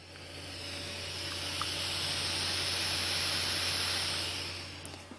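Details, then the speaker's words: Free Power Mac G4 Quicksilver running Mac OS 9.2.2: an even static hiss swells for a few seconds and fades, no rhythm; weird noise from the speaker, source unknown. "like a static hissing noise"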